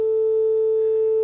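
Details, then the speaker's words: Telefunken Operette 6 tube radio with an added Bluetooth module playing a 400 Hz test tone, audible only on the left channel. Harsh, buzzy distortion from stereo-to-mono wiring, which disappears when the two pins on the module are shorted. "so I'm now um playing a 400 Hertz Stone via Bluetooth and you can clearly hear it only on the Left Channel and playing the tone and you can clearly hear the distortion"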